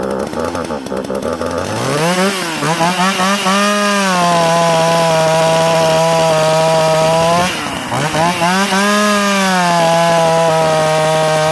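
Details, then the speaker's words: Sachs Dolmar 43cc chainsaw with timing issues; it snaps to a high, steady scream that holds firm while cutting, drops, then climbs cleanly again, running strong. "Listen up of a 43 C shot. When this lights up, she lights up good."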